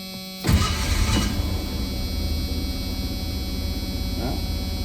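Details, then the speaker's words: 1985 Ford Ranger 4x4, sat 20 years, first start before test drive after major engine work on an oiling problem, cool weather: quick crank catches into a slow, lumpy idle that sits too low for a cold engine. "did start but it's at low idle it's not that warm out so that needs to look bad"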